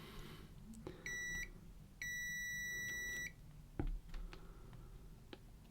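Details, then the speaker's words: Zennox GC1006 metal detector, sea-water or salt-damaged single-layer board after initial cleaning: multimeter continuity test on traces beeps when probes touch or a trace is intact, then only probe taps and clicks with no tone where traces are broken. "you can hear the meter beeping so every time the wires touch together it's going to beep"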